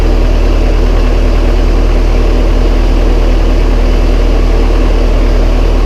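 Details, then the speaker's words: Massey Ferguson 135 tractor, first start after oil and filter change and valve adjustment, high-low in neutral; loud low even idle, steady beat, no ticks, knocks or misfires; starts straight up, running smooth. "Start straight up. Very good."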